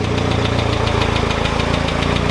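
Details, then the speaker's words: Automatic Mk2 VW Jetta after starter replacement, first run after about 1.5–2 years sitting, loud near-muffler-less exhaust: fast even ticking about eight per second from front top end; oil level found correct, expected to quiet as oil reaches head. Ticking at idle. "ll say she is a little ticky in the front but i don't know the last time this car actually ran"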